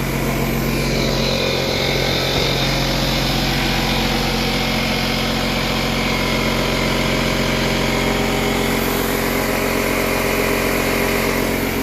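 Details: Bostitch 6-gallon 150 psi pancake air compressor running: loud steady motor and pump drone with an even buzzing whine, no knocks or rattles; healthy, much louder than the Husky silent compressor, normal running.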